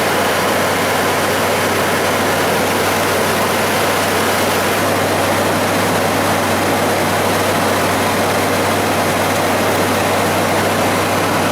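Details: 1994 Ford F-150 with the 5.0 V8, after a scan-tool check of a fault where it stuck on fast idle and was hard to restart hot: steady, even low idle, smooth rumble with background hiss, no surging; now running normally.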